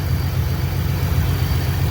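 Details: 2011–14 Mustang 3.7 V6 with a BBK catted X-pipe, after repairing a stubborn header flange leak (new bolt, re-tapped header threads), mic under the car: smooth, even idle with no ticking or exhaust puffing; running normally.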